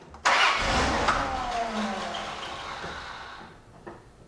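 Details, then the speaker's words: Starter circuit test with VAT-40 after the bad battery was replaced: brisk, strong crank that catches immediately and runs, battery voltage holding well and starter current draw very low; starter and new battery working properly. "It seems to run, start and run. The battery voltage holds in there very well and the amperage. Also, the current draw of the starter motor is very low."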